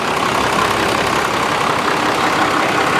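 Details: Junkyard 1995 Dodge Cummins 12-valve P-pump diesel, 172,000 miles, first start after long sitting, running with 40 psi oil pressure, not yet warm: dense, steady diesel clatter with an even rhythm, turbo hissing on top. Normal idle.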